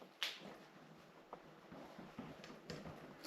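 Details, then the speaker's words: 1990 Raleigh Reynolds 501 hybrid trail bike, front end jolted: a few sharp, irregular clunks; headset bearing very loose, to be removed, cleaned, inspected and repacked. "the head bearing is incredibly loose. So, we're going to drop the headset out and clean up inside, have a look at it, and repack it."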